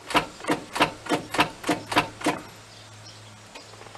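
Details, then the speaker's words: 1995 Ford F-350 7.3L diesel that won't start. Eight sharp, even clicks about three a second, then no crank. Battery is fine and connections are tight; owner suspects the starter solenoid isn't engaging, unconfirmed. "maybe that's a soul Knight on a starter it sounds like sounds like the soul Knight isn't"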